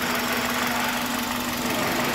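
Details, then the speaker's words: 2005 Toyota Corolla gasoline engine just after a top-end rebuild with a new drive belt, started after a long crank, microphone held close. A steady, even, smooth idle with no knocks; the engine runs round, with no leaks. "Beleza, né, turma? O motor tá ficando redondinho, cara. Olha que beleza."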